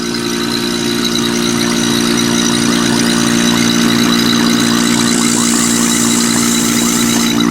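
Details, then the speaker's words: Marvac GA-271A AC vacuum pump, split-phase AC induction motor, after freeing seized armature shaft, likely unused 30 years: steady motor drone with even buzzing pulse and airy hiss; runs smoothly, motor heats quickly, good suction. "And that's what it sounds like. It's drawing in air here, or sucking in air here and blowing it out here."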